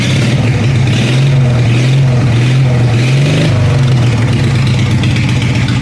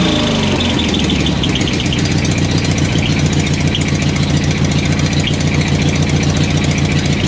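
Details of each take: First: Craftsman 14 hp riding mower single-cylinder engine with new dual exhaust and homemade baffles, starting issue fixed and clutch safety switch bypassed: loud, deep, even exhaust beat with a small blip mid-run and no knocks or misses; running healthy. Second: Craftsman riding mower with dual exhaust and homemade welded silencer baffles, first start after the mod: loud, choppy idle with faint puffing ticks from slight exhaust leaks.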